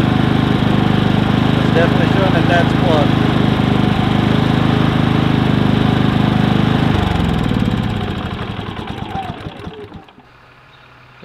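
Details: Predator 3500 inverter generator with 18 hours of run time holds a steady, even drone for several seconds, then is shut off and winds down; runs smoothly with no stumble.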